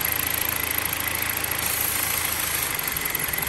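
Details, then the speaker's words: 2011 Chrysler 200 four-cylinder at idle, liquid sprayed on intake: steady high hiss of air drawn in over slightly rough idle, idle shakes as liquid is absorbed; vacuum leak located at failed intake manifold gasket. "Mira se escucha como jala el aire ahí mis amigos entonces el problema ya está localizado"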